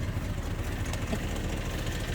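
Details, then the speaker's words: 1976 C10 Trailering Special with a 454 big-block V8, owner says not missing or smoking: deep, steady idle with an even beat, no miss, tick or knock; normal idle. "dual truck sounds good i said it's not missing don't smoke don't peck don't pick that's saying a lot for a big walk"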